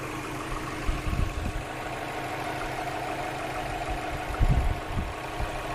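Smooth low idle broken by irregular heavy thumps every few seconds; an internal knock, cause not yet identified. Cause suspected, not confirmed.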